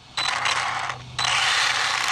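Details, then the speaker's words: Arrma Vorteks V2 RC truck on third or fourth battery pack, throttle squeezes: two bursts of rapid harsh metallic ratcheting; something slipping or skipping in the gears, owner suspects front differential, later jammed. "not liking though i'm not liking whatever that um whatever that sound is right now something's up with the gears man"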